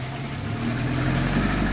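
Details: 2007 Honda CR-V 2.2 diesel after alternator and belt idler pulley replacement (pulleys were ringing): steady low diesel rumble, even tone, no squeal or rattle from the belt side; engine running normally.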